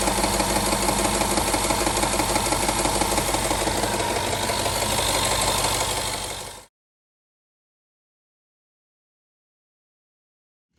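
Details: 2011 Range Rover HSE 5.0 naturally aspirated V8, 125k miles, idling loud with busy metallic rattle from worn timing chain tensioners, before replacement.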